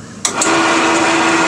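After a start-up clunk the saw settles into a smooth, even hum with a steady tone and no knocks; runs healthy.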